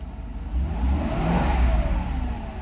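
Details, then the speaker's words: 1993 Mercedes 500SL V8, cold at 12°C in warm-up, with an E-gas throttle module fitted: a few light blips rise and fall cleanly without hesitation; normal revving, healthy throttle response, held back because the engine is still cold. "So it accelerates fine. I don't want to rev it a lot because it's still in cold, in warm-up stage."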